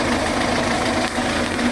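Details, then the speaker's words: Yamaha FZR1000 after carb rebuild with new diaphragms and Dynojet kit plus fuel leak fix: warm but not fully hot after a few minutes, fully off choke; even, settled idle, steady hum, no hunting or misses. "it's warm but it's not hot it's only been tiing over a few minutes what I have noticed is I'm off choke totally now"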